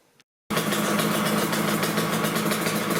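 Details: Yamaha RZ350 two-stroke after the gauge pod was removed and the tachometer lubricated: a steady, even idle with a crisp buzzy note and no howl or screech from the gauges. The tachometer squeal seems rectified for the moment.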